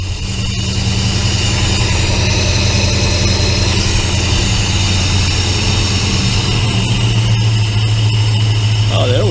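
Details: 1966 Plymouth Belvedere 440 Mopar V8, first start after FiTech EFI install with idle set at 800: steady fast idle with a deep even drone dropping slightly near the end as it settles; idling high.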